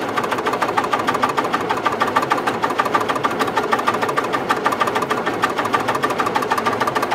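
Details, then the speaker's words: 1962 Austin Healey 3000 BT7, rebuilt engine, head and carburetors, new fuel pump and ignition switch, cold garage, choke out: steady starter cranking with whirring fuel pump but no firing; owner suspects carburetors far out of adjustment and cold. "all right i'm not getting anything at all the carburetors might be so far off and it's pretty cold in here today"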